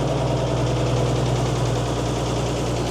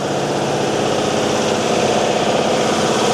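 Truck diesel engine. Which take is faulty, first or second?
second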